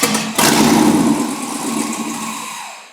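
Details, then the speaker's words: Freshly installed LS engine in a 1951 or 1952 car fires with a sharp bark, runs crisply a couple seconds, then fades as the small fuel supply runs dry; normal start, sounds healthy. "okay I've got the LS in there it fires up now all right it does it's a runner"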